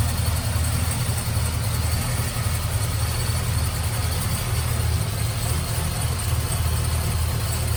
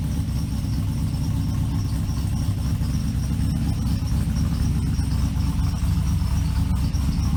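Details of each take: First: Supercharged LSA-blown LS2 V8 in Trailblazer SS, after fitting new quiet-technology serpentine belt to cure idle chirp: steady deep idle, even low rumble, no chirp or squeal; only header, cam, rocker and possibly coil pack noise remain; normal idle. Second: Trailblazer SS with a blown LSA-swapped LS2 at idle: small bird-like chirps about twice a second that worsen as it runs and disappear with the belt removed; suspected pulley or serpentine belt issue.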